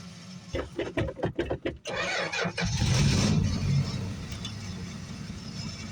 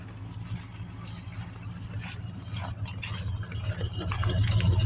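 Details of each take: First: Small six-cylinder, winter cold start: quick cranking, catches on ether and flares, then sags to an uneven idle; fuel starvation, no fuel in the fuel filter, runs only a minute then quits. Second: 1969 Ford Mustang Mach 1 V8, about 124,000 miles, winter cold start, choke on: steady low, evenly lumpy idle, no knocks or misses; normal cold idle on choke.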